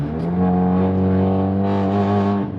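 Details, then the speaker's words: Audi A3 Stage 2 tune with CTS downpipe, cruising in sport mode: steady deep even drone without knocks or rattles, normal for the downpipe; earlier excessive drone came from loose clamps and a disconnected midpipe. "that's the only time I'm getting this drone which is normal I mean it's a special down pipe right uh it's not going to be like tame by any means but it's tamed down low which I like"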